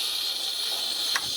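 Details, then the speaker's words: 6.0 Powerstroke crank-no-start, not building high-pressure oil, engine off, valve cover removed, shop air applied to oil rail: steady sharp air hiss that changes as the suspect fitting is loosened; high-pressure oil leak at stand pipe O-ring. "I'll take a ratchet on the one in question and loosen it a little bit. See how the sound's changing? That's telling me that this one's the problem one."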